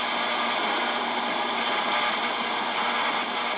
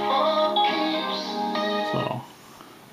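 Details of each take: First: GE P-975D radio after FM oscillator adjustment, AM band: no stations, only steady hiss and buzz across the band; caused by a phone charger plugged in behind the radio. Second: GE P-975D radio on AM after FM oscillator adjustment, phone charger behind the radio unplugged, tuned near 1330: station music and voice clear with no buzz, whine or crackle; reception restored.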